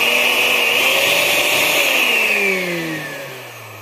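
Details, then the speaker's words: Oster metal three-speed blender, motor check before replacing its worn drive coupling: high motor whine falls smoothly as it coasts to a stop, with no scraping at the end. Normal run-down; the bushings are not worn. "girarlo como ustedes pueden oír Entonces cuando esta termina de girar la la licuadora hace un movimiento hace un ruido normal"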